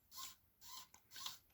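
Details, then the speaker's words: 1958 Philips B6IF73A valve radio with a faulty dial drive, where the needle sticks on AM: thin, rasping squeaks about every half second as the tuning knob turns. The three rubber pinch rollers behind the control are slipping and squeaking. "if you can hear this kind of a squeaking noise so the way it works is that in behind the control here you can see maybe down at the bottom there are three rubber pinch rollers"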